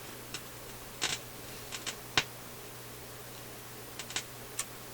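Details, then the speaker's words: Philips console stereo receiver during FM troubleshooting, run at full line voltage (about 132 V): irregular sharp pops and ticks about once a second over a quiet mains hum; the owner suspects an electrical discharge somewhere; cause not found. "Just crackling away. Well, I can complain about that."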